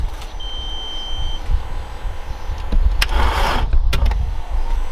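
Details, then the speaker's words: Mk1 Audi S3 8L (AMK engine) sat about 2.5 years, jump-started through thin leads: low, labored churning turns over very slowly and never fires; owner hopes weak supply from puny leads, may replace battery. "Verdict is that the car is turning over, but really slowly, so we're hoping that it's just the jump leads were so puny and stupid that it's not taking enough feed from the battery, so we might need just to replace the battery and it might be okay."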